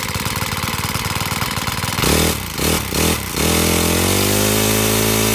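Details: Honda GX35 four-stroke brush cutter, after carburettor cleaning and raising the needle for freer fuel flow, pops along at idle, then revs cleanly and holds a steady high buzz without stumbling or dying.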